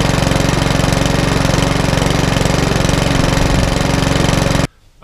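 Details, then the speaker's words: Mountfield HP164 lawnmower that kept cutting out, after cleaning, on a 10–15 minute test run: small single-cylinder engine holds a steady, even beat with no surging or hunting; running as it should. "it's about little Mountford Walmart is now up and running exactly how it should do I give up the 15 10 15 minute test and the hunting has settled right down all together"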